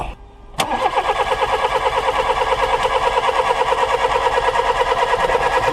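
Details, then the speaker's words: Old VW Polo 1.4 petrol no-start during ignition coil spark test: steady even cranking about three turns a second, no firing and no arc; failed ignition coil confirmed, to be replaced with a used scrapyard coil. "Ok, ben nous avons trouvé notre panne. La bobine à remplacer."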